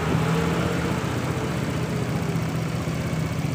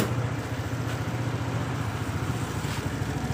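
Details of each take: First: Suzuki Nex scooter, hard cold starting and unstable idle, idle air control sensor made manual: single-cylinder ticks over at steady, even pace with no hunting or dips; idle now holding properly. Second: Suzuki Nex scooter on a cold morning start, hard to start, now running: small single putters with a slightly uneven, wavering idle. Owner blames the automatic idle air (ISC) sensor closing, fixing it by making the ISC manual.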